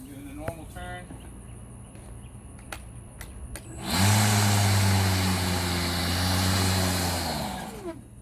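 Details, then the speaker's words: Milwaukee electric lawn mower, second new unit, not in grass: motor hums up to speed, runs about three seconds, then winds down and stops; loose power button not fully clicked in; clamp holds it on. "see all i did was try again see how it turns off i'm not letting go and it keeps turning off"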